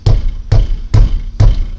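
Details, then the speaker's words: Peugeot 307 front end, mic held close while the wheel is struck by hand, clunks heavily over cobblestones: four heavy dull thumps about half a second apart; loose front brake caliper moving on worn guide pins. "É esse barulho aqui, ó, que quando você vai no calçamento, cara, mas isso bate com vontade, tá? E parece que a frente tá desmanchando, porque bate nesse lado e bate naquele lado e lá, tá?"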